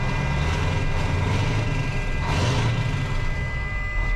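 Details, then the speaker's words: Mack CL713 E9 V8 500 hp diesel truck, newly bought, idling: deep smooth continuous rumble with no knocks or misfires; runs pretty smooth. "As you can hear it, it runs pretty smooth."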